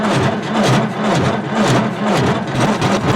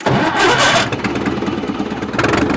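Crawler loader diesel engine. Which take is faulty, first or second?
first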